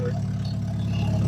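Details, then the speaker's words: Plymouth Sundance after a fresh tune-up, timing belt and water pump job, which previously cut out when revved: loud, deep, steady exhaust drone with no stumbling or cutting out; runs fine, though vacuum leaks are still to be fixed. "sounds good. Yeah, she's obnoxiously loud. However, runs fine."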